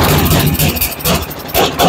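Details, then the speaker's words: Toro 828LE snow blower, Tecumseh engine with replacement Amazon carburetor, primed and started cold on choke: fires and keeps running, note swelling and dipping slightly; runs but still needs warm-up and tuning. Engine running on choke. "going to push our primer see if we have fuel shooting in the intake we do put the choke on and start it"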